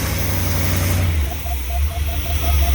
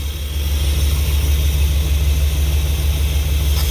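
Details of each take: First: Old motorhome V8 on a road test: steady, even rumble with no stumble or surging and a faint light chirp on top; running smoothly for now, though it quits shortly after. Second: Old motorhome engine after brake and motor work: very loud, rough, uneven roar with heavy low drone and a surge; sparks from the exhaust and a rag caught fire; abnormal noise, cause not pinned down.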